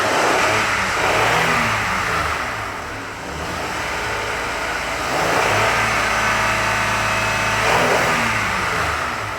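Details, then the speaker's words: 2005 Honda Odyssey after clearing codes by disconnecting battery, not yet warm: engine climbs smoothly and bounces cleanly off the rev limiter, no knocks or misses; normal rev, VSA light off. "that's hitting the rev limiter let's let it get up to temperature and see if the vsa light comes back on"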